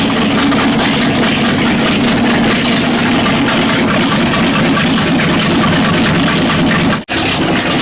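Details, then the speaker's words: Abandoned 1960 El Camino, last registered in 1979, first start after about 40 years. Choke held open and direct intake vacuum leaks plugged. Loud, uneven loping idle through open headers; the owner suspects an aftermarket cam, but this is unconfirmed. "I think someone put a cam in it I don't know that's what it sounds like ah open headers sound like cams yeah whatever"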